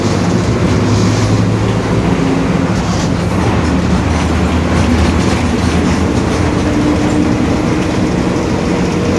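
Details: 2021 Marcopolo Torino S long-body city bus on Mercedes-Benz OF-1721 BlueTec 5 chassis, BR Mobilidade route 927: steady low droning hum under road rumble while cruising from the rear differential. Differential growl.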